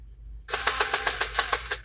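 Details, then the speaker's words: Power Wheels drive motor bench-tested after burnt-plastic smell: sharp, evenly spaced pops about seven a second while the motor spins; a broken plastic gear tooth in the gearbox rather than the motor. "that does not sound good does it it's got a bad motor this should not be popping like that yeah that should not be popping like that I don't think it's the motor I think it's the plastic"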